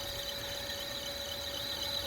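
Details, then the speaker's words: Carrier EcoBlue axial ECM fan motor driven by a VFD, ramping toward about 30–40 Hz: steady high squeal over a rough, strained hum; motor struggling near loss of sync, unable to go faster. "It's not too happy. I don't think it's gonna go any faster than that."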